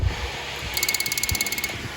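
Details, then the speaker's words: Nitrous system on a 305 small-block Chevy Firebird, tested with key on and wide-open-throttle switch pressed: rapid even clicking of nitrous and fuel solenoids plus fuel pump over electric fan hiss; purge, fuel and nitrous solenoids all working normally. "The fuel solenoid's also clicking. I can hear the fuel pump."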